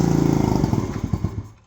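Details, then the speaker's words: Icebear Maddog 50cc scooter running off an electric fuel pump with a new carburetor: rapid popping firing for about a second, then beats slow and it dies; the carb needs tuning. "oh that didn't last long so it definitely needs some tuning but it does run doesn't seem to run terrible"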